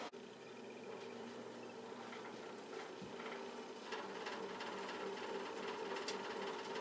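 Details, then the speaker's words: Old Montgomery Ward fan-forced radiant heater (1350 W, drawing about 9 A): steady light rattle three to four per second over the fan hum; owner suspects a blade loose on its rubber hub plus play in dry bearings. "rattly old fan."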